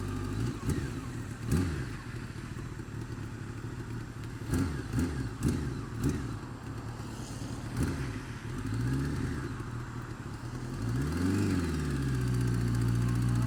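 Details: Honda Fireblade sportbike engine revving with a light irregular tick, about three or four a second, over it; worse when cold, quieter but persisting when warm, feels slippy; source unknown, owner asking for ideas.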